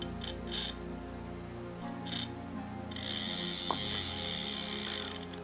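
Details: Hornby BR Class J15 locomotive that kept stopping on its own and wouldn't restart, motor wired directly during disassembly: after handling clicks, a thin high-pitched whirr runs steadily for about 2.5 s; the motor works fine.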